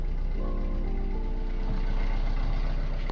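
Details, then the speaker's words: Sailboat diesel engine ("Simone") running after starter, ignition and alternator work, to charge the battery. A steady, even diesel rumble with no knocks or misses. The alternator is now charging and the engine sounds healthy. "It's Simone. And Simone is charging. Woohoo! Okay, I gotta clean up all this mess. When I was just here, finished it up. Now I'm just running it to charge the battery so I can edit a video for y'all."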